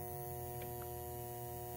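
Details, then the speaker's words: Speaker transformer from a 1947 Sentinel 294T radio with its primary plugged straight into a 120 V outlet; a loud, steady mains hum while the secondary reads only 4-5 volts. "that transformer home and I'm only getting four or five volts on this secondary so something strange is going on"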